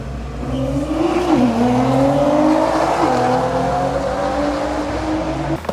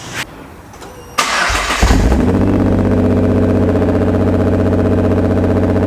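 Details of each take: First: 2010 Nissan GTR (R35) in earlier healthy driving clips: engine pulls hard, pitch climbing smoothly through the gears with clean shifts, no knocks or rattles; normal acceleration. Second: 2010 Nissan GTR (R35) first start after about 7 months stored: cranks, catches with a surge, then lumpy uneven loping idle with black smoke and many cluster errors; VCP (cam timing) not advancing.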